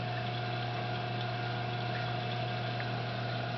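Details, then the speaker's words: 220 reef tank sump after muffler fitted on loud pipe: pipe noise gone, only a soft constant low pump hum, no gurgling or air rush; pump running quietly and normally. "Now the only thing you can hear is that hum from that pump. And that humming is not loud, really."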